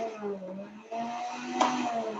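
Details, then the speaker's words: Juicer mixer grinder series motor after repair, following a series-lamp test, with armature fan and coupler as light load: steady, even hum at constant pitch, no grinding or rattle; normal running. "ਇਸ ਵਕਤ ਅਸੀਂ ਇਸ ਨੂੰ series ਤੋਂ ਬਾਅਦ parallel 'ਚ ਚਲਾ ਕੇ ਦੇਖ ਸਕਦੇ ਹਾਂ ਡਾਇਰੈਕਟ ਸਪਲਾਈ ਦੇ ਉੱਪਰ।"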